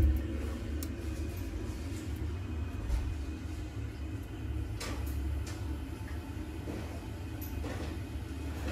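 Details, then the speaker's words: Worcester 28 CDI boiler with no heating or hot water: a deep, steady rumbling boil with faint knocks and no sound of water flowing. This is kettling because the heat can't escape, a circulation fault from the pump not spinning. "so that noise you heard that was the heat not being able to escape the ball a lot and coming from experience you'll know that that's going to be a circulation issue and it's normally going to be an issue with the pump"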